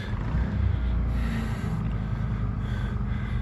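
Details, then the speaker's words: Paralleled WEN 56380i and GN400i inverter generators in eco mode, as the fridge, lights and one AC switch on: low steady drone swells for about a second, then settles; normal surge on load step. "can hear the generators surge a little bit."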